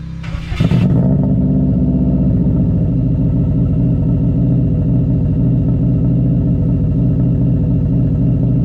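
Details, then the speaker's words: 2002 Subaru WRX after compression test: loud, throaty idle just after start with uneven lumpy beat and occasional stumble; still slightly misfiring and running rich (smoking), owner hopes fitting a plug helps. "I'm gonna plug this injector back in and it probably will still slightly misfire here and there but oh well"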